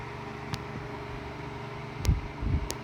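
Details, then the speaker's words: Vintage Tatung LA-12 12-inch oscillating desk fan, about 1980, on high with oscillation after a seized-motor and thermal-fuse repair, drawing about 60 W. Quiet whir with faint irregular hollow clicks, suspected from worn bearings. "it is pretty quiet there is a bit of like that Hollow rattling that some fans with kind of not great bearings sometimes have"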